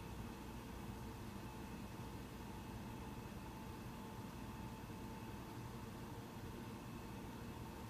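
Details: Mac Pro 1,1/2,1 with 32 GB RAM at the end of a Geekbench 3 benchmark, second camera at the machine: low steady airy hum, fans ramped up only slightly in the last half minute and still quiet; normal fan noise under load.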